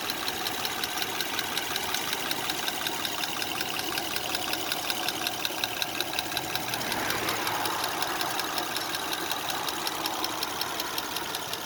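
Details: 2005 Honda Odyssey with a slight engine ticking noise. Light, even ticking at about 160 per minute rides over a quiet idle, a steady top-end tick with the cause not pinned down.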